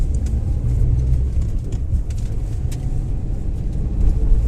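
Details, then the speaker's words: Maruti Suzuki Alto 800 driving after axle repair: steady low road rumble with no clunks, rattles or knocks. The earlier body vibration and rattle in first and reverse, a hard-to-find fault, is gone. "वैसे ही यह case है अभी तो कोई आवाज नहीं है"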